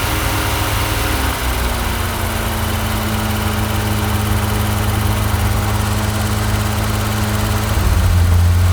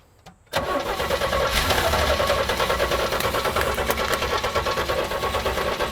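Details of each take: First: 1983 GMC Sierra with a 250ci straight six and 4-speed overdrive, sitting 17 years, first run after filling the carb bowls and drawing fuel from a gas can. Steady, even, smooth idle with a low drone that rises briefly at the end. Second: 1983 GMC Sierra, 250ci straight-six, 4-speed OD, sat 17 years, fitted with a fresh distributor cap, rotor and plug wires. It cranks, catches sharply and runs ragged for seconds on carb cleaner only, with no fuel supply.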